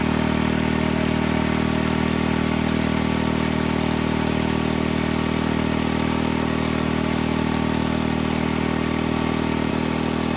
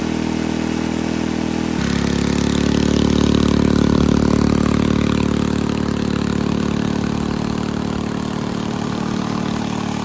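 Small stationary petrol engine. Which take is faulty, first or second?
second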